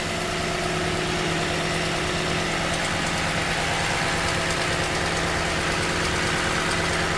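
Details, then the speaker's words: 2015 Toyota Sequoia V8, morning warm-up, starting 3–5 minutes after warming: steady idle with a light quick tick about three per second; intermittent, not reproduced at dealer, owner suspects timing belt tensioner, unconfirmed. "This all started about 3 to 5 minutes after warming up the vehicle."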